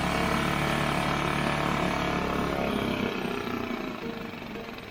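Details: Barn-find Mercury 5 hp four-stroke outboard, stored unused by previous owner, oil almost dry, dirt dauber nest on carburetor, pull-start attempt: fast uneven beat about four a second, fires but unsettled then dies; rough running after long storage.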